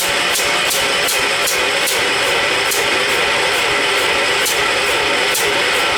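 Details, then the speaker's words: John Deere 212 with what is likely a 12 hp Kohler engine, on starting fluid: slow, even cranking that never catches; cranks but won't start, with a carburetor jet suspected clogged. "Kill the starter. I don't think it'll go. Just needs the right combo."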